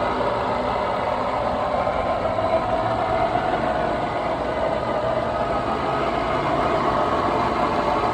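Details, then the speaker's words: 2007 Infiniti M45 Sport, 4.5L VK45DE V8, decent mileage, recent water pump and belts, MAF and throttle cleaned: rough, scratchy rasp at idle and on acceleration, no engine codes, no hesitation, some power loss; timing chain suspected, unconfirmed. "when I'm accelerating it just sounds really rough and scratchy now it's not throwing any engine codes or anything like that"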